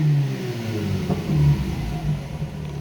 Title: Mazda RX-8 misfire: Bad coils